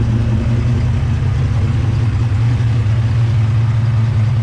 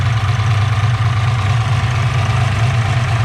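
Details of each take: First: Turbocharged 363 stroker Ford Mustang Fox body, roughly 20-year-old turbo kit: heavy, lumpy V8 idle with a faint, fast puffing tick riding on it, an exhaust header leak at idle present for a long time. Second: Ford Mustang Fox body with a turbo 363 stroker, after fixing a suspected header exhaust leak: even, deep idle rumble with no ticking or puffing and a steady beat; healthy idle.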